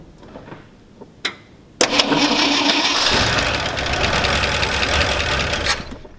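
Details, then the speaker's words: 1969 Ford F-250 carbureted V8 started after sitting about seven months to a year unrun: a couple of cranking clicks, then catches and settles into a steady, even run; normal cold start, owner worried about backfiring. "it's pretty damn good for what seven months"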